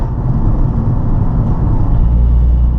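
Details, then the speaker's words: Nissan 350z upshifted early at about 33 mph under slow, gentle acceleration: deep, heavy drone as the engine lugs and bogs at very low rpm in a high gear. "god you do that this sounds like it's bogging the engine a little bit"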